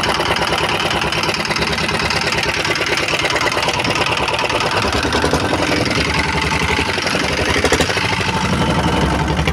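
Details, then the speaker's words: Diesel R-180 single-cylinder engine after service (hard starting, smoke and hunting speed; valves cleaned, cracked oil filter packing found), restarted: steady even chug at constant speed, no hunting or misses; normal running. "Oke sobat diesel Sudah beberapa kali kita hidupkan tadi ya jadi mesinnya ini sudah enak hidupnya kemudian asapnya pun juga"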